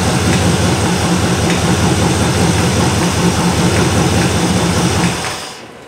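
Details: 1977 Malibu low-mileage machine-shop-built V8, about 15 minutes of cam break-in, oversized 770 carburetor; loud, steady roar at raised revs, even exhaust beat, no knock standing out, then shut off; owner says apparent knock is audio; healthy.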